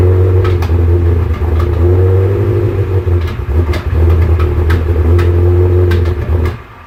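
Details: Salvage Ferrari 360 V8 revving with uneven stumbling beat and irregular exhaust pops; misfire attributed to a false air (vacuum) leak.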